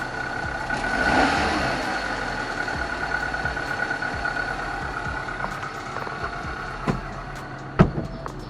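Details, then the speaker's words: 2005 Suzuki APV at steady idle: dry, grating hiss with a thin whine on top, unchanging; owner suspects a failing AC compressor bearing, unconfirmed. "dari luarnya gila gua rasa si suaranya dari sebagai lahar Aceh dengan kompresor AC"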